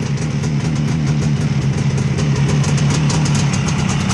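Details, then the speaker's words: 1967 Bridgestone GTR 350 two-stroke after engine and crank rebuild (noisy bearings replaced), cold start at about 45°F, 5952 miles, outdoors: steady even low burble, smoking, no knocking or rattling; normal healthy idle. "gas is on Troke on key on all right here starts right up smoking nice"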